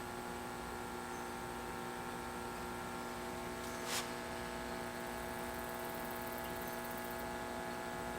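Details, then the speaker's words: 1951 GE 512F transformerless vacuum tube clock radio powered up slowly, about 50 V, no antenna: steady low electrical hum with evenly stacked buzzing tones and no program audio; filter capacitor was later found to be bad, causing the hum. "Can you hear buzzing? The radio is buzzing. So we know we have something."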